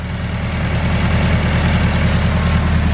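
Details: Honda Civic bought as having rod knock, at idle: a steady, even idle with a smooth low thrum and regular firing pulses, no knock or tick, a smooth runner; its Garrett turbo has blown seals, shaft play and smokes.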